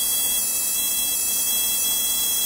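A thin, high-pitched electrical buzz with steady whining tones and almost no low end, typical of a relay chattering fast in an oscillator circuit. Cause suspected, not confirmed.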